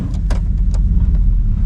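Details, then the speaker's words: Grandpa's old truck, 241,000 miles, with rotted-out mufflers and tailpipe, warning lights on, before new exhaust: deep loud unmuffled rumble with uneven lope, a little rough and joggy; rotted exhaust. "Oh yeah, she sounds derby ready. A little rough, a little joggy."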